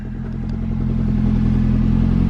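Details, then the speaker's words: Ford Focus, first start after long sitting, cold morning, following radio frequency sensor repair: steady, even low idle with smooth rhythm, no misses or knocks; engine running cleanly on its own. "we are running guys we are running okay i'm gonna jump out let's see any weird smoke or anything"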